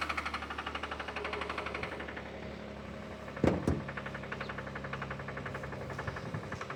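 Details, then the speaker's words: 2015 Kia Sorento 3.3 V6 at idle: steady, fast knocking rattle through the engine note; mechanic suspects a bottom-end noise such as worn main or conrod bearings, options being a replacement engine or a rebuild. "pretty sure you should be able to hear that knocking noise. It's usually like a rattle or a knock."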